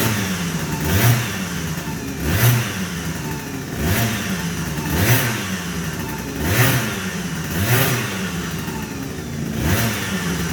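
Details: MVT Millennium ignition scooter, after parts were insulated with tape, cleaned and reassembled following a roadside misfire breakdown: two-stroke buzz blipped cleanly about every 1.5 seconds, revs rising and falling smoothly without stutter; ignition problem appears fixed.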